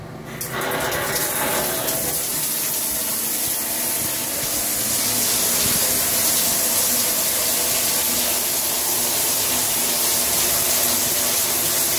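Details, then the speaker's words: Shower panel running at full blast: loud, steady rushing hiss of water with no pulsing or whine. It is quieter at lower flow. Owner says water pressure is so high he can't open it fully, and the rainfall head also drips; cause not pinned down. "that's on full-blast and actually is not as loud when it's on less than full blast [Music] so that's about the speeds that I usually have it on it's just super loud"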